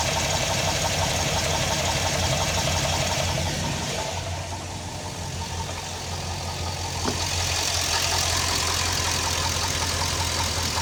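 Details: Hollow, regular knock at about three per second over idle on a Chevy LS V8, traced to cylinder number 5 after removing the water pump; confirmed piston slap, piston rocking in its bore with head off, cam and lifters good.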